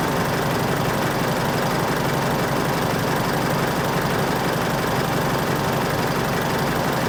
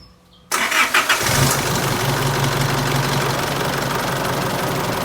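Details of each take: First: Isuzu All New D-Max 2.5 VGS diesel at idle after replacing the suction control valve: steady even clatter with a light regular tick in time with the engine, much quieter than before; healthy running. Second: Isuzu All New D-Max 2.5 VGS diesel on first start of the day: cranks, catches and idles with a loud irregular ticking from the suction control valve solenoid instead of an even tick; faulty SCV, replaced afterwards.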